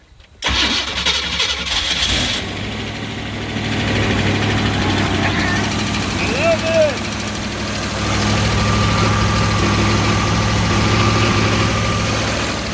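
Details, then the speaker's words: 403 Oldsmobile V8 in Baja jet boat, first start after bottom-end rebuild (new bearings, crank), choke set: brief crank, fires right away, settles to steady, even deep idle; 70 psi oil pressure, no water in oil. Normal start-up and idle. "Well, hopefully you can hear me, but she's running. Everything's good."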